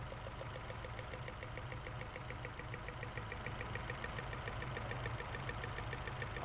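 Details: 2009 Nissan Altima, check engine light, P0300 misfire, engine shaking at idle: rough idle with sharp regular snapping tick about three times a second; ignition coil for cylinder 2 arcing, with sparks visible.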